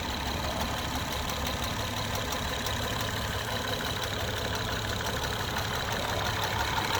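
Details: 2011 Acura TL 3.7 SH-AWD at warm idle: a faint light tapping of about three per second over the engine hum, more prevalent when cold. The dealership could not determine the cause.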